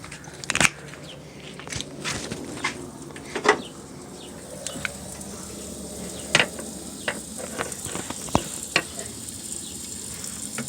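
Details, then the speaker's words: Car cooling system under pressure tester: big leak, coolant stream spraying from a hose. Faint steady hiss with spitting, crackling bursts as coolant escapes the leaking hose. "Now versus this car, it's a very big leak, and I'm going to go ahead and apply the pressure, and I know where it's at, and I can hear it right now leaking."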